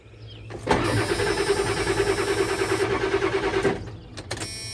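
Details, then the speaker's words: 7.3 Powerstroke diesel with recurring fuel issue, previously running rough, smoking, not exceeding 1200 rpm, shut off before dying: starter chugs steadily about three seconds without catching; hard start, extended cranking, cause unconfirmed. "so i don't even think it's gonna start at all even though i shut it off before it died"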